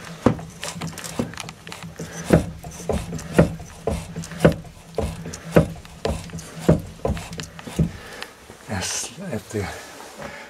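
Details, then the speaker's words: Renault Marine Couach RC6 inboard in a Jeanneau Arcachonnais, turned slowly by hand with the reverser clutch engaged in forward: a dull 'boink' knock every 10–20 degrees, as if hitting something inside; caused by crankshaft axial play (end play). "this noise comes from moving about by 10 20 degrees there's no logic in it"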